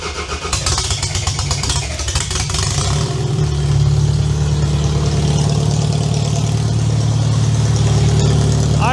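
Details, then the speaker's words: Demolition derby build car, first start attempt on a tired engine after teardown and install: it cranks, fires and settles into a steady, even idle with no knocks or misses; runs well, though oil pressure is only 50 psi. "I think that thing runs pretty damn good."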